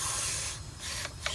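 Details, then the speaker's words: R32 Nissan Skyline SR20DET boost leak test, intake pressurized to about 12 psi through the turbo with a homemade tester: a steady loud hiss of escaping air that fades and pulses as it bleeds off; a small boost leak in the intake. "so basically plug this in and then we'll see if a little this goes in here into the turbo pressurizes the system if there's any leaks you will hear most definitely some air coming out"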